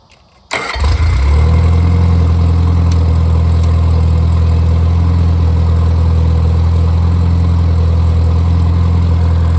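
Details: Rebuilt Triumph Spitfire 1500: shaved head, larger intake valves, 270 cam, flat-top pistons, double valve springs, duplex timing chain, new bottom end and bearings, compression over 180 psi, oil pressure improved; catches straight away, strong even beat, no knocks or ticks — normal running.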